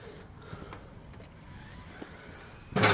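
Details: Aluminium door after servicing its overhead closer, which someone had sped up without servicing, damaging the top arm: quiet, even controlled swing with no banging or slamming, ending in one firm latch clunk, contacting the mag lock.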